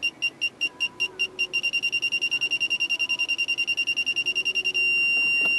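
High beeps quicken from slow pulses to rapid chirps, then merge into one steady tone as the obstacle closes in; the sensors work normally.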